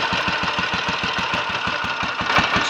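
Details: Royal Enfield 500 single (Asbo 34), rebuilt with ported head, barrel shortened 2 mm, Hitchcock's 9:1 piston, strobe-set timing; third start, about 10–15 minutes running since rebuild: crisp even steady thumps, no rattle, leaks or smoke, plenty of compression; normal idle.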